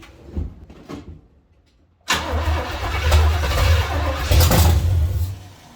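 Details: 1970 Chevy C10, small block 305 V8, after intake manifold and carburetor change: catches after a quiet start, then runs with an uneven, loping beat and shaky low rumble, possibly flooded; misfire from a broken distributor cap center button.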